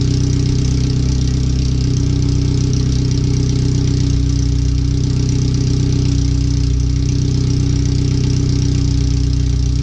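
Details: First startup after replacing header, fuel filter and differential parts, with O2 sensors relocated and wiring rerouted: deep, loud, steady idle rumble with fast even pulse, exhaust open straight off the header with no muffling; computer read 5–7% rich at idle.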